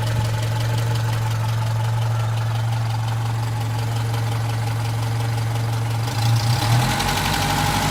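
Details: Opel Rekord P1 long-version engine at idle: light clacking tracking engine speed, rising briefly with a throttle blip; cause unclear.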